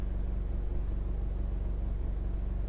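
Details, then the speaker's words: Honda EU2200i dual-fuel inverter generator, heard from inside the truck camper living space: steady low drone with fine fast buzz and rattle from the compartment mounting, no surging; generator running evenly. "I'm not sure how well this is gonna show up on the camera or if you're gonna be able to hear it. But there is a drone and a rattle"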